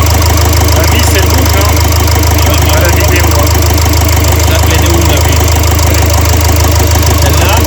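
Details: Renault Trafic 2 / Opel Vivaro, M9R780 2.0 diesel, warming at idle with cylinder 2 injector clamp loosened to free the stuck injector: loud hard uneven clatter about three knocks per second; faulty cylinder 2 piezo injector running rough.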